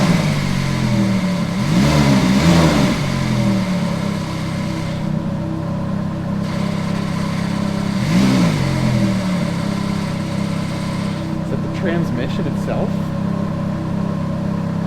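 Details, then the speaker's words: Ferrari F430 converted to a manual, hard to get into gear: a steady whirring whine in any gear that changes with speed, absent out of gear with the clutch released; suspected transmission fault rather than the throwout bearing, not confirmed. "any gear who that has a weird ass sound that's speed dependent"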